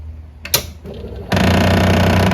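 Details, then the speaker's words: V8000 (blue screen on) during tray-loading test after repair attempt, screws not yet put back: clack then loud harsh grinding drone about a second as tray mechanism strains, "not happy"; gears slipping or binding, broken gear suspected, not confirmed. "That is definitely not good. >> Practice means perfect. >> It is not happy."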